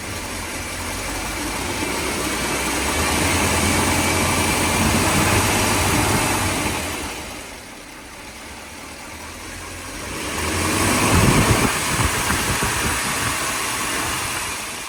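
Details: 1957 Mercury 368 cu in V8: a steady internal knock of about three per second that persists as revs rise and fall. It is worse when cold and still present at higher rpm when warm.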